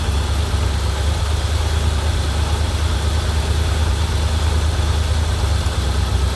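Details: 1987 Corvette V8: deep, uneven idle with lumpy, irregular beat, struggling to hold idle; dies off throttle and floods again, fuel getting into oil, owner suspects severe flooding past piston rings.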